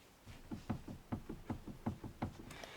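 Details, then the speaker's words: Lada Kalina door rocked a year after door soundproofing: rapid dull knocks about four per second from play in worn door hinges, front and rear doors. "Мы слышим, что игра идёт и на этой стороне."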